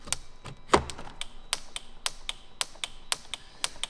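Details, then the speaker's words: Jeep at about 100,000 km: sharp dry clicks about four per second with a light rattle from inside a door after the doors were repainted under warranty and panels removed; something loose vibrating inside the door, cause unconfirmed. "something inside my door started shaking and started clicking after I got these doors repainted so because they had to take off these door panels so now I got this click something's vibrating in there"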